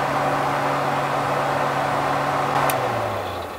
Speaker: so one other thing to check is your hood fan so you want to make sure that that is working this is on the low setting this is on the high setting sounds good to me